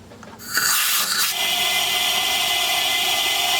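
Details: 1939 Buick Century Series 60 engine with low compression (about 0 to 40 psi, stuck rings suspected): a steady high hiss as air pressure is applied to the cylinder, air leaking out.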